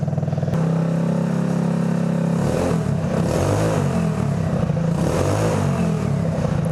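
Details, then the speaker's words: Go-kart test drive after disconnecting the intake snorkel that starved the engine of air and caused sputtering at low RPM: small engine revs up and pulls cleanly with no stumble or sputter. Normal revving. "Oh yeah, that's so much better. Can't see because my helmet's too big. But hopefully we're not going to have any more sputtering issues at lower RPM."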